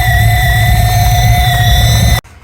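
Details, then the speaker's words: Alfa Romeo after a shell swap, on a test drive, with a smaller intake mixed with a Porsche intake manifold: steady high whistle over the engine note, suspected to be air catching at the mismatched intake-to-manifold joint. "Whistling you can hear, and it sounds like it's coming from here."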